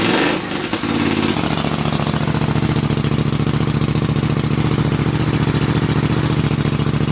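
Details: Honda CX 500 scrambler build, first start after assembly, kicked over with exhaust pointed out the garage door: fires within a second and settles into an even, regular exhaust thump at idle, no misses; running properly.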